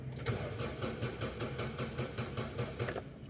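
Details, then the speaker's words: 2003 Toyota Corolla XLi, no start after clutch plate install, rpm needle not moving while cranking, coils not sparking: even starter churn two to three beats a second, never fires; crank no start. "ٹھیک ہے ار P M والی needle جو ہے نا اس کی work نہیں کر رہی ہے تو ابھی دیکھتے ہیں کہ اس گاڑی میں جو ہے نا کیا مسئلہ ہے"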